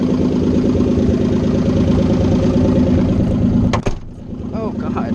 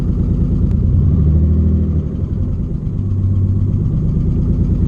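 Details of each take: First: Nissan 300ZX idling loud with no exhaust (open headers), already fighting a bad misfire the owner blames on loose connectors; lumpy beat with an occasional putt-putt, owner unsure if it's a different misfire, intermittent, then sounds healthy. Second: Nissan 300ZX with open headers and no exhaust, first start after fixing the connector suspected of causing a bad misfire: loud, rough-edged idle with steady low beat, car not shaking; seems to run right, owner unsure; normal idle.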